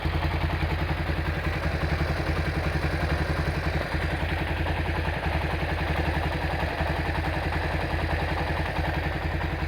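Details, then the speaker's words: Honda Tiger Revo single-cylinder engine, hot idle: light, steady tick from the cylinder head about three or four per second; quiet when cold, ticking only when hot, with some oil seepage before restoration. "Ini masalahnya kalau dingin suaranya halus, kalau panas seperti yang kita dengar tadi. Di bagian head ada suara ngelitik sedikit ya."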